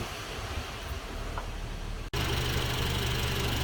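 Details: Idle of a 2000s Honda CR-V that would not start with relay noise until an OBD scanner was plugged in; fault traced to bad engine grounding wiring. Steady, even idle with a low smooth hum, no misses or knocks.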